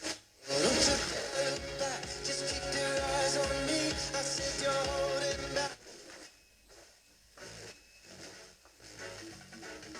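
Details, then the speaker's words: Telefunken Opus 8 tube radio during a quick repair, on FM with a mini-whip antenna, after swapping tubes (EF89s, ECH81): clear station music for six seconds, then quieter tuning gaps; FM reception works well. "but fm works really well"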